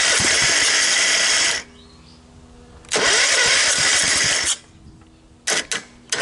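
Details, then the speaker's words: 17.5 hp Kohler riding mower engine, long stored outdoors and mouse-nested. After clean-up, blade clutch and belt removal and a carburetor cleaning, it cranks, catches and runs in short, even, clean bursts. It starts and runs well. "it's trying uh there we go it starts and it runs well"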